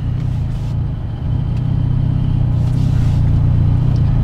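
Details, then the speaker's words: Mitsubishi Evo X after AMS fuel rail install, missing intake shield so AC airflow disturbs the MAF sensor: deep idle rises, flickers, sags and nearly stalls around a second in, then surges back; hunting idle. "so it goes up high a little bit and then start flickering and then stall out"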